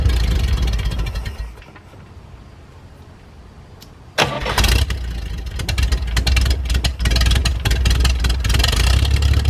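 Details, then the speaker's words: 1973 GMC 432ci V6 with five-speed Spicer, unstarted for almost five years: starter cranking, a short lull, then it catches into a deep, steady, even idle with no knocks. Slight startup smoke cleared once warm. Normal idle. "it's really great to hear this thing run after having it for almost five years now one heck of an engine absolutely love the way these v6s sound"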